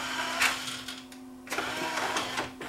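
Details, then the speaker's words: Yamaha CDC-705 CD changer after disc drawer belt replacement with a non-exact, more elastic belt: steady low motor tone with clicks and whirring as drawer moves, motor no longer slipping or humming, plenty of torque, drawer working normally. "It's got lots of torque. The motor doesn't slip now. You don't hear it humming away, right?"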